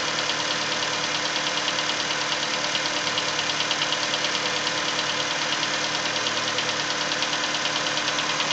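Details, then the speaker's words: Cold Nissan Versa engine, steady tapping about three a second from around cylinder 3, more prominent as revs fall; persists the first 10-15 minutes of driving until warm. "the revs come down, you can hear the tap become more prominent. You can hear it plain as day now. And specifically hearing it coming from cylinder number 3 or that area."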